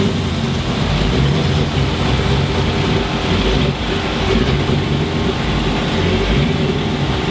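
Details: 2006 Chrysler 300 SRT8 6.1 Hemi V8, first startup after installing a stage 2 cam, valve springs and retainers; deep, choppy idle with an uneven lope holding steady speed, normal sound of an aggressive performance cam.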